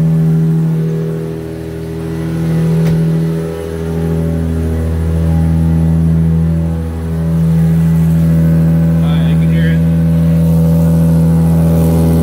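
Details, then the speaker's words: Toyota SC300 first started after long tube headers were installed; a very loud, deep drone rises and dips with each rev, with no distinct ticking; owner suspects an exhaust leak. "New headers. Oh, race car! That's loud. Must be exhaust leak."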